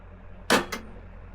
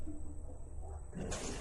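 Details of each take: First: One crisp click then two lighter ticks over a quiet hum as a 5 hp deep-well pump's contactor pulls in, Solis S6 11.4 kW hybrid inverter in bypass mode with LG RESU batteries; clicks properly, normal start. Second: Deep-well pump on a Solis S6 11.4 kW hybrid inverter in back-up mode with two paralleled LG RESU 16H Prime batteries: low, steady electrical hum builds but the pump never runs up to speed; fails to start with an undervoltage trip, though it works in bypass.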